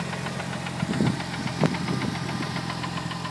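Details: Newly bought Mitsubishi Evo 8 at idle: fast light ticking with a couple of heavier clunks about a second apart over a steady idle. The seller says clutch release bearing; the cause is unconfirmed.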